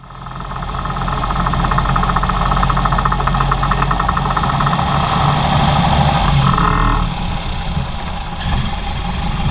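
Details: Ford Model A with a clogged fuel line losing power and misfiring constantly after about 3 minutes of driving; the lean mixture causes uneven, stumbling running with irregular pops and bangs in the exhaust.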